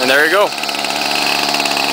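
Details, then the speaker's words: 1995 Ryobi 700R 31 cc direct-drive trimmer, 16 years old, started on choke after a few primer pumps: quick rising rev as it catches, then a steady high buzz with no sputter or stumble; it smokes but starts and runs fine. "simple as that pretty good for a 16-year-old trimmer this one has direct drive and see it smokes and that's it"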